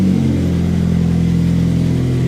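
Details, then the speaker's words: 2005+ Chevy Optra 2.0 L after the alternator noise repair, started with a booster pack after sitting over a year: steady, even idle with a smooth low drone, no whining from the belt or alternator; only an exhaust leak remains. Normal idle. "Got no winding sound anymore. That's quiet. Nice. Belt's good. No shakiness. The alternator is quiet."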